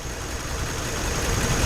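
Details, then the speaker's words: 1950 Ford V8 Pilot flathead V8, converted back to original points distributor and carb with direct mechanical-pump feed, started from cold: steady, soft low burble with no knocks or stumbles; normal idle, though mixture or timing may still need tweaking. "I mean the idle sounds about right so on its own yeah it's idling just as it should do"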